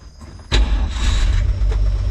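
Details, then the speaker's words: 1946 Chevrolet truck, original restoration, after carburetor cleaning and tank flush, started with the floor-pedal starter: brief crank, catches almost instantly and settles into a steady even idle, a quick start as it always sounded. "see how quick that starts that's the way it always sounded"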